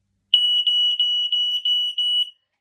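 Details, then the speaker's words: New smoke alarm test via its button: loud, steady high-pitched tone with quick warbling pulses, seeming to alternate two different tones, lasting about two seconds then stopping; alarm working. "It's like it makes two different tones."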